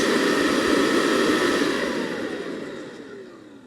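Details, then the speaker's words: Mercedes M273 V8, 107,000 miles, engine off, electric air injection pump tested: smooth airy rush of air volume, no worn-bearing whine, then steady spin-down; normal pump. "That's air volume movement. We're not picking up that whine of worn out bearings."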